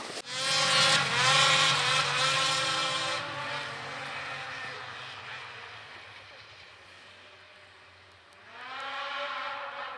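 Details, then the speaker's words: Polaris IQR 800 two-stroke snowmobile (shorty conversion, Ultimax belt) riding past through trees, turning about 8,000 rpm (owner wants 8,500, clutch weight change): crisp high howl rising and fading, pulls cleanly; normal running. "You can hear this thing echoing through these trees. It sounds really good."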